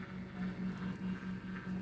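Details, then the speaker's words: Hethya 120 automatic egg incubator, turner test mode: low steady hum with a rhythmic gritty grinding pulse about seven a second from the turner gears; normal operation. "I don't know if you can hear that like grinding noise, but that's the gears. That's the gears."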